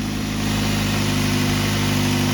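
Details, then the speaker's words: 2006 Ford Focus ZXW wagon, 105,000 miles, at start-up and idle after replacing the squealing idler pulley, the belt and the tensioner pulley: steady, even idle hum with no squeal or chirp, belt tracking correctly. Fixed. "Not squealing anymore. Our belt's on right, it's tracking. Sounds pretty good for what it is. So I guess we fixed it."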